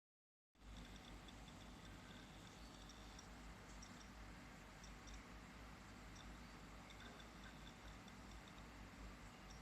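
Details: Lenovo IdeaPad 320-14IKB laptop hard disk (Seagate ST1000LM035-1RK172) making faint, irregular clicks and ticks over a low, steady hum.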